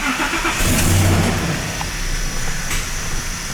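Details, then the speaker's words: 2013 Ford F-250 6.2: crank, start and stall, engine catches then sputters unevenly and fades; codes P2111 found, suspected bad MAF sensor starving the mixture on start-up. "i think we have a crank start install we'll see what happens here definitely a crank start install"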